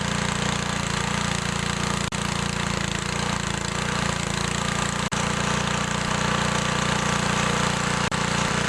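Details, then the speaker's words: Older Briggs & Stratton 3.5 HP mower engine without primer, started after carburetor and diaphragm reinstalled: steady, even single-cylinder running with crisp exhaust beat, no misses; normal. "I'm ready to try it out I got some fuel in there I'll start it up and adjust the carburetor"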